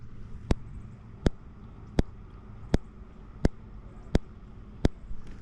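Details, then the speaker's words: Fish finder transducer on a Solo Skiff kayak, pins cleaned, in about 5–8 ft of water while reading 216 ft: sharp, even clicks about every 0.7 s over quiet, pulsing but giving no reading; owner suspects it overheated when run out of water. "I did bring it up and I could hear it clicking. And I did go through and clean up the uh the pins just to see. You can hear a click,"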